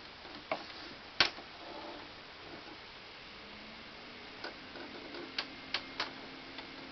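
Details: 2005 Symphonic VCR/DVD combo that eats tapes: quiet irregular sharp ticks from inside while the mechanism runs; something in the tape transport catching.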